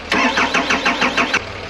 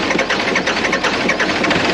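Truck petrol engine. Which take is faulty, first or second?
first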